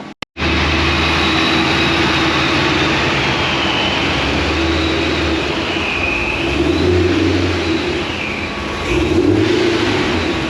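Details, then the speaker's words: Pontiac GTO V8 during a dyno session: loud, steady idle holding an even pitch with no more rise-and-fall surging; a smooth, settled idle. "listen to it idle this part is never idle like this no more surging I love it wow"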